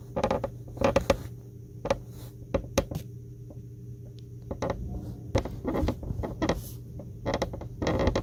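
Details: Tesla Model 3 Highland seat: irregular short creaks and clicks as weight shifts, over a faint steady cabin hum; owner first suspected the seat rail but found it was not the source.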